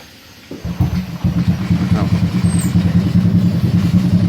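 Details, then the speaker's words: Honda Supra X 125 motorcycle, not run for several days: catches on the first try and settles straight into an even, steady idle with no misses; healthy cold start, number plate rattles slightly. "sekali ini dia udah langsung idle ini jujur motor iniudah berapa kali beberapa hari ini enggak dipanasin dan dia langsung idle tanpa ada kendala"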